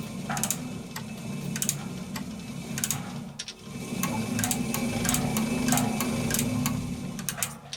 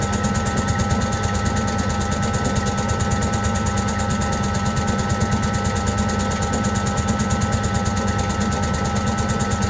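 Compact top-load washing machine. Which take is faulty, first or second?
second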